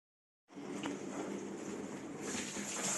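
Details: Old discontinued Bosch dishwasher whose recirculation pump impeller had broken loose, after gluing the impeller back onto the motor: steady water spray and splashing over an even low pump hum; normal wash cycle.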